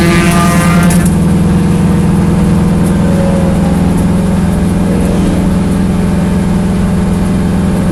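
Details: Corvette V8 at idle: a deep note with an uneven, lumpy beat as some firing pulses drop out; misfiring at idle.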